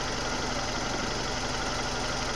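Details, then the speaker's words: 1997 Suzuki Baleno, misfiring, limping and lacking power: petrol engine idles roughly with uneven stumbling pulse; caused by leaking spark plug wire caps on cylinders 2 and 3, one cap found detached. "jadi kita bisa ketemu Satu kita cari penyebabnya suaranya yang kencang seperti tadi dan brebet ya saya sudah terlihat di bagian kepala busi nomor 2 dan nomor 3 ini mengalami kebocoran"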